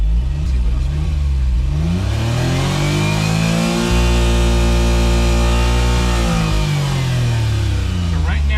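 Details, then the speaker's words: Suzuki Cara/Autozam AZ-1, DOHC F6A, driving with injector cleaner in fuel: revs climb smoothly then cut out abruptly around 7500 rpm, cut point moving; air-fuel goes very lean at the limit then rich; owner suspects fuel system, injectors or regulator. "so right now it gets to about 7500 before it cuts on me so clearly whatever's happening moves around"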